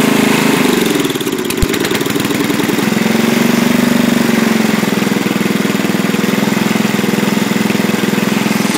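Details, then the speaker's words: Racing tractor's single-cylinder engine running almost on pure Seafoam (added to crankcase, oil and intake): steady, slightly lumpy idle with no knocks or misses; runs okay. "So, runs okay. Try and take it for a quick ride."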